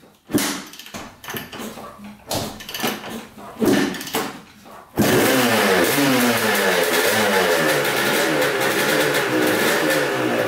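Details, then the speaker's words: 1986 Honda CR250 two-stroke dirt bike, sat over five years, first start on fresh premix: a few kicks, catches, crisp even ring-ding idle rising cleanly on throttle; started right up, no leaks. "all right well that sounds really good um putting fresh gas in it started right up no leaks whatsoever"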